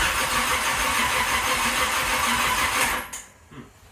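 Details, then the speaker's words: Third-gen Camaro Z28 small-block V8 after engine replacement, ignition advanced, fuel system primed; steady starter cranking about three turns a second for three seconds with no catch or fire. Cranks but won't start. "that's all we get so we have tried about 17 times to start this car up"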